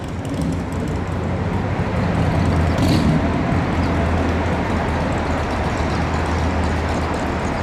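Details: 2010 Harley-Davidson Dyna Wide Glide, fuel-injected V-twin: deep, loping idle beating about four times a second, even and unstrained with no knocks, with the fuel injector audible. Normal idle; the seller says it runs awesome.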